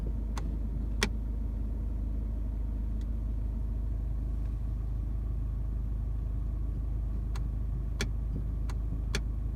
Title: Clicking noise gear selector